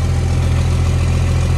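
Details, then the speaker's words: Cummins diesel at cold idle on a cold day, a little smoke after cold start: steady, even low rumble with no knocks or misses, sounding clean and burning right; normal cold idle. "I mean it's freaking not a mission to diesel right it's gonna do that a little bit well I mean it sounds clean sounds like it's burning right"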